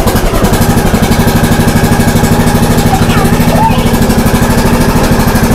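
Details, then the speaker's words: John Deere D105A riding mower after deck belt replacement: engine thumps at steady even beat, no slipping or squeal; deck drive running normally. "now let's listen wo we're riding boys it's working let's see no black fire sounds like it's good"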